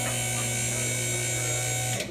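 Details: Two-post hydraulic lift raising the vehicle slightly off its locks before lowering; smooth, steady electric pump hum for about two seconds, then a clean stop; normal lift motor operation.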